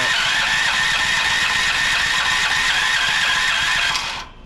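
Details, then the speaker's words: Westinghouse WGen9500 generator that won't start, gas and oil fine: fast, steady electric-start cranking about four turns a second with no firing or catch, then stops; no spark. "nothing not getting anything out of the unit I've tried it a few different times here can't get anything whatsoever"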